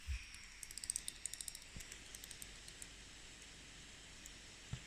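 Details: Dell Inspiron 2-in-1 5482 (a replacement unit) under heavy graphics load running Football Manager: quick light clicks in a brief flurry over loud fan hiss, occurring when the laptop is lifted.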